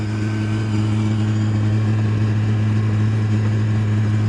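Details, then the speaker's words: Burner trying to burn used oil, giving off heat: a loud, steady low droning hum with an uneven fluttering pulse; the owner dislikes the odd noise and notes it doesn't burn the oil well; cause unclear. "good it's kicking out some heat there don't really like it making that noise though it's kind of"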